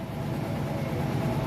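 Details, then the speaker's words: Mitsubishi 6D17 diesel running with irregular heavy bottom-end thumps like a backfire; the valve tappet's lower arm roller is broken and crushed so the pushrod cannot move up and down, requiring engine teardown to replace cams. "Yung lower arm niya or tapet is yung roller ng tapit niya is nasira nadurog kaya hindi na makagalaw yyung push Rod up and down kaya nag para siyang backfire Ang ingay niya"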